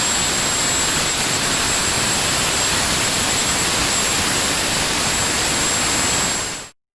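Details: Honeywell GTCP 331-350 APU (1400 hp turboshaft, Airbus A330/A340) in test cell, on speed at 100% (about 41,700 rpm), acceptable vibration: loud steady turbine roar with thin constant whistle from inlet guide vanes, no surging; normal run.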